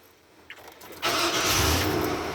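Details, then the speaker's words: 1999 Chevy Suburban K1500 LT, 25 years old: brief starter crank, catches cleanly within a second and settles to a smooth, steady, quiet idle; normal start. "This is what she sounds like. Nice and quiet."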